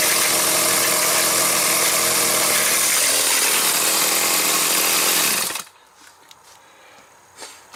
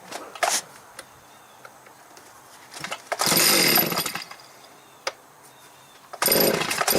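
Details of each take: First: Stihl 029 chainsaw: high steady scream with rough rattly edge until cutting out, chain spinning even at start and low RPM; broken clutch springs found, replaced; cover washer behind clutch was missing. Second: Stihl 029 chainsaw after its broken clutch springs were replaced: two sharp throttle blips rise to a clean, high scream and drop back to a quiet, steady idle. The saw revs and idles normally.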